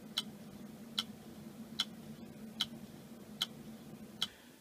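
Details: Hard drive, portable or in a computer, making sharp evenly spaced clicks about every 0.8 s over a low hum; failing read head, the click of death.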